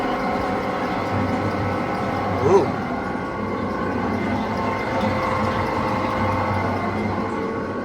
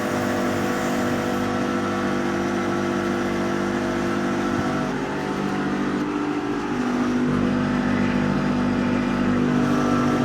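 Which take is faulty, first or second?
first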